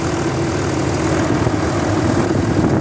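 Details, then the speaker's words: 2003 Dodge Ram 3500 dually diesel idling while warming, new gasket fitted at the previously oil-leaking back corner: smooth, even low rumble, no knocks or misses; normal idle. "Let's go check the temperature gauge. Wow, it's running great."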